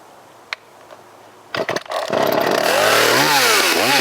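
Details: Vintage Poulan Wild Thing two-stroke chainsaw, completely stock with safety chain, unmodified muffler and air cleaner, freshly sharpened chain and tuned, making a timed cut on a log: it snaps to a high scream, dips and recovers smoothly. A healthy cut.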